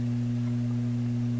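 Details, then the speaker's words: Loewe Opta Type 5966 tube radio with new power supply capacitors: loud steady 60-cycle hum from the speaker, same on FM, far less on stereo, not volume related, hum on the B+ line; suspected shorted tube; mains hum. "It's a 60 cycle hum. So, you know, that sounds like a shorted tube."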